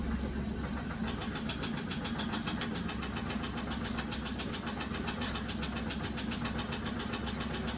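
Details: 2007 Dodge Grand Caravan at idle: crisp uneven knocking three to four times a second over engine hum; loose torque converter bolts suspected, to be checked first, not confirmed.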